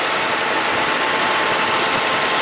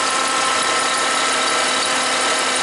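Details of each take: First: Toyota Highlander (2003 or 2007) idling after charging-system repair, 14.1 V and 20 A charging, headlights, fan and AC on: even steady hiss, no squeal or grinding from the belt side; quiet, normal idle. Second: Toyota Highlander (2003 or 2007) idling with dead battery and alternator output dropping from 13 V to 11 V: constant whirring, whining tone from the front of the engine; alternator sounds bad, failing alternator.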